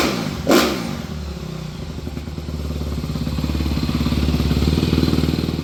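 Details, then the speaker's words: 2014 Honda CRF250R after rebuild, first start after reassembly: single-cylinder thumping idle that picks up with a light blip and stays even with no knocks; sounds much better. Normal idle. "that sounds much better."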